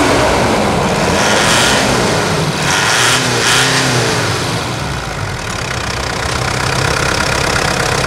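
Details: Mitsubishi Pajero Full diesel, 10,000 km since light service, in for rear axle hub bearing replacement: diesel clatters steadily with a couple of throttle blips, no knocks or rattles; normal engine run.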